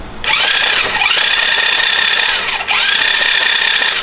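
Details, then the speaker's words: 110cc ATV engine swapped into a Coleman CT200U mini bike, cranked with the spark plug out: high, fast starter whir that dips and recovers under a hissing spray as oil pours from the cylinder. "Look at all that oil. It's pouring out."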